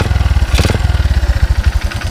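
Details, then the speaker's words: Yamaha Byson 2012 single after a 10,500 km, 100-day tour, kick-started with open air filter: loud regular low thumps at idle about twelve a second with intake noise; worn connecting rod knocking, engine also burning oil. "ada suara sang Syekh yang sudah kocak dan ini sebenernya cukup lumayan parah ya"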